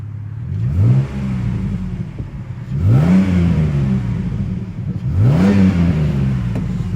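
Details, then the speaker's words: Jeep Cherokee 3.7 V6, revved under no load, phone mic in wind: three clean throttle blips returning smoothly to idle. Vapour is condensation, not smoke. Healthy. "that's not smoke by the way she's condensation can you hear that that is nice that's what the mercedes lacks but when you listen under there it is just sweet as a nut"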